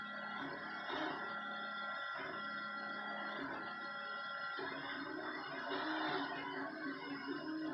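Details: 3D printer printing cosplay parts: warbling, shifting tones like an alien radio over a steady hum, changing pitch with each nozzle move; odd motor noise, cause unknown.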